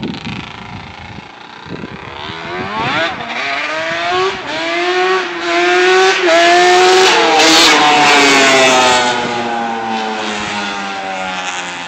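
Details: Yamaha Banshee two-stroke twin, quick run after rebuild: crisp engine revs up cleanly and pulls smoothly through the gears with an even, ringing exhaust; running healthy.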